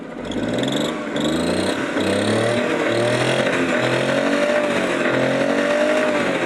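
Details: Suzuki DA52T common-rail engine, after replacing the camshaft position sensor that caused check-engine light, hard starting and weak throttle pickup: revs rise and fall smoothly in repeated blips about one a second, clean pickup, no stumbling; running normally.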